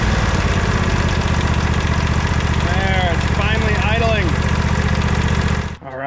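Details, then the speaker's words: Sabre by John Deere lawn tractor after carburetor screw fix and fuel tank clog cleaned: steady even low putter at idle, three to four beats per second, no misses or knocks; normal idle. "I just took it for a ride, did a little bit of mowing. It is running perfectly."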